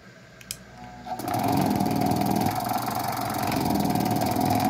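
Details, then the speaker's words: A 220V gate motor run on 127V mains with its capacitor doubled starts after a faint click and settles into a steady hum with a light drive rattle; it runs normally, not at full power but with improved starting. "o motor já partiu lá viu ele não tá totalmente potente mas não tem muito pouca força viu que ele já melhorou a partida lá"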